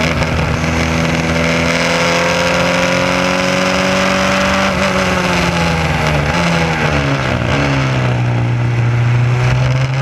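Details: SCCA Formula Continental race car climbing and falling through the gears with a ragged edge under load: an ignition misfire caused by a distributor wire picking up pulse signals from the electric fuel pump.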